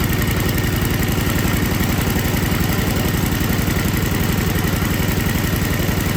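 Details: Older MTD Yard Machines snow blower with Tecumseh 5 hp engine that would not start, after carburetor was put back together and gasket found falling apart; crisp even single-cylinder putter at fast idle, no surging or stumbling, normal running.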